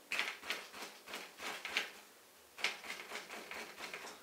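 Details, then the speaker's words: Mountain bike suspension fork, bounced with no engine: sharp dry clacks about every third of a second and something sliding inside the fork; axle, brakes and headset checked tight, internal cause suspected, not confirmed. "you can actually hear something sliding inside the fork whenever I was flipping my bike upside down I noticed there was like a sliding noise"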